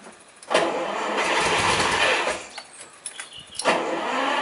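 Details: 1965 Ferrari 330 GT 2+2 V12 with three carburettors, cold start after letting the fuel pump fill the carbs and pumping the throttle: short crank, then it catches cleanly and runs steady and even with no misses or knocks.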